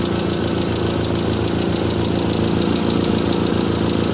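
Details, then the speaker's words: Triumph Spitfire warm at about 900–1000 rpm idle: light quick ticking about four per second on the exhaust beat; ticking at idle, owner suspects an exhaust leak at the manifold. "I'll put that on the list to tend to it I think it's right there at the sace manifold"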